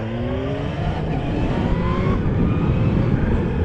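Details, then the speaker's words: 2021 Kawasaki ZH2 with a supercharged 998 cc inline-four, ridden pushing hard: the engine pulls with rising tones over wind rush and a faint chirp on top, normal supercharger behaviour under load; the impeller-breaking-the-sound-barrier explanation is only a rumor. "you're pushing on a bit the supercharger does chirp a little bit and there was a rumor or a uh word going around that that chirp is when the actual impeller on the supercharger breaks the sound barrier not sure how true that is"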